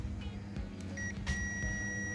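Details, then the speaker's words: TOA ZA 2120 amplifier, one of four removed C5198 NPN output transistors tested on meter buzzer scale: steady high beep across the legs where it should stay silent; all three legs shorted, shorted output transistor needing replacement. "nyambungnya kayak short ya. Ini seharusnya tidak seperti itu. Ini berarti short."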